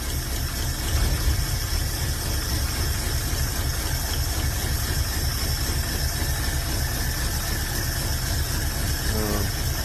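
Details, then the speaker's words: Carbureted V8, new carburetor fitted but still idling rough and lumpy with uneven loping beat and stumbles, as if not firing on all cylinders; plug-by-plug check underway, plugs found rusty and one oil-wet; misfire cause unconfirmed. "g like shit, and it sounds like it's not firing on all cylinders."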